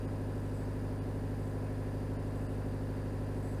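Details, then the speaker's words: Peugeot 306 estate with XUD diesel engine, after budget service and modifications: steady even diesel clatter at idle with a quick, slightly raised beat, idling a bit higher than normal; high idle speed. "You probably hear the engine is idling a bit much."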